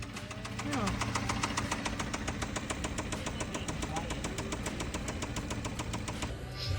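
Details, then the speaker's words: Kia engine idling with a deep, steady knock three or four times a second: the classic Kia rod knock, possibly covered by a recall. "The customer sent this video in asking why their car is making this noise. It's got the classic Kia rod knock that plague these engines, but luckily they might be covered because of a recall."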